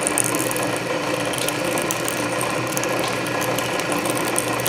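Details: Canedy Otto drill press in back gear after belt re-lacing, drilling slowly under power feed: steady gear whir with feed ratchet clicking, no grinding or chatter; gear reduction torque masks the slightly slipping main drive belt. Cutting normally.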